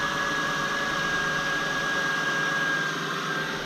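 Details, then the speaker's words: 2002 Acura TL just after alternator replacement, engine started after sitting about a week: steady engine rush with a thin constant whine from the new alternator, smooth, no chirp or growl, battery light off; normal alternator whine. "i can hear it whining right now it's the sound of the alternator"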